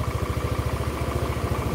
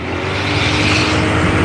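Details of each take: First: Older Honda Beat scooter with rough sound, smoke and oil consumption, run after the smoking repair. The CVT and front of the engine are smooth, but an even, rapid dull tapping comes from the middle of the engine, a connecting-rod knock. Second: Old Honda Beat scooter, test ride at about 40 km/h: engine climbs cleanly under throttle with no stutter, misfire or delay; normal acceleration, though mechanic worries about the reused connecting rod.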